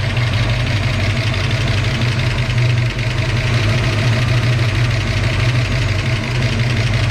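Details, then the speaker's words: Engine freshly fitted with an Anderson B21 cam, first start: loud, rough idle with fast, light ticking from lifters and rocker arms not yet pumped up after the cam change; expected to quiet down. "That's the lifter. I'm positive. That's why it's not hitting yet. Nothing's pumped up. It's not moving the valves like it needs to."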